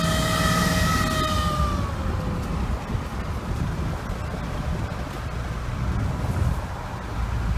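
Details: 2012 Ram 3500 6.7L diesel: clear whine over the engine every time it accelerates, sagging in pitch and fading into road rumble after about two seconds; cause unknown.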